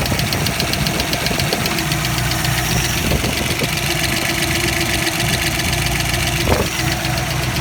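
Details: Ford 302 V8 at idle: a light, fast, slightly uneven ticking over a rough idle; lifter tick suspected, not confirmed.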